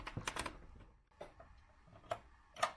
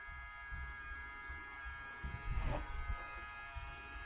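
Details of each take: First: Sony PlayStation 1 CD drive after laser lens cleaned with isopropyl alcohol, previously squealing and not reading discs: a few soft clicks and seek ticks, no squeal or grinding; drive starts up normally and reads games. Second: Sony PlayStation 1 with disc inserted tries to read then stops, drive making a loud steady high-pitched buzzing squeal with handling thumps; powers on and shows display but won't read discs; broken sled gear.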